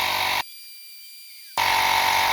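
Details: Lokithor JP400 jump starter's small air compressor inflating a tyre toward 36 PSI, several minutes into the run: constant high buzzing drone with brief drop midway; pumping normally under load before thermal shutoff around 8 minutes.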